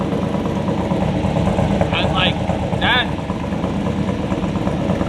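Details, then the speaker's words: LS V8-swapped BMW E46 with unequal-length manifolds, after checking everything over: deep, choppy idle with an uneven lope but steady pace, no ticking; sounds much better, as expected for this setup. "very very confident it sounds totally different from last night kind of sounds like correct to what you would think in unequal lengths manifold LS would sound like"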